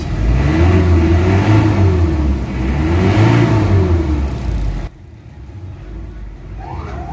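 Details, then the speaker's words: Mitsubishi Adventure diesel with throttle delay, low power, vibration and black smoke, engine hot, before engine treatment: revved twice, climbing slowly and sounding dull and heavy; low power suspected as the main cause, unconfirmed. "kaya nakapansin mo sa RPM nung una doon sa dashboard maririnig mo na low power siya y yun ang nagiging main cause"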